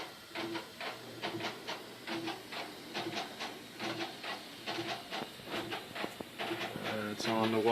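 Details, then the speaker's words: Three-day-old LG WT4870CW washer, about five loads in, on a hot normal cycle half full of regular clothes: rhythmic squeaks about two per second with each agitator stroke, seemingly from one corner; owner suspects the suspension bars. "this is my new LG washer it's only about 3 days old I've done about five loads through it and it started squeaking bad sounds like it's coming from this corner that I can't tell but definitely has a lot of squeak in it now that never had few days ago it's weird listen to it squeaking"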